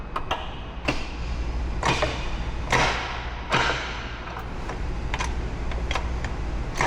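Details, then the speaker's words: CD009 front-mount shifter relocation with reverse lockout after install; crisp distinct clicks as the lever moves through each gate, no grinding — normal shifter gate clicks. "So, like I said, you can hear the difference in just the audible sound."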